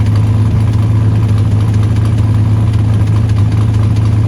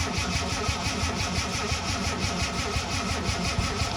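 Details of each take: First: 1979 Ford Capri 3.0 Ghia Mk3 manual, revived after about 20 years, running about 5 minutes on a jerry-can fuel feed with no coolant: low, steady, even rumble; engine runs smoothly and sounds healthy. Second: Ford Capri Mk3 Ghia 3.0 barn find, unrun about 20 years, heard from the rear: starter turns engine sluggishly and unevenly, about three turns a second, without firing; battery struggling, owner suspects lack of voltage.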